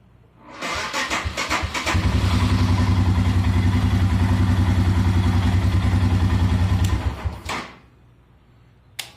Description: trying to determine if my 2019 RE Himalayan has a bad starter or bad battery, it will start many times back to back but always slow to start.